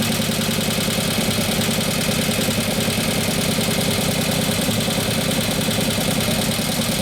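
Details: 2015 Harley Road Glide 103ci Twin Cam just after a camshaft install and new oil pump, idling: a fast, fairly even tick about three per second over the exhaust. The lifters have not pumped up yet.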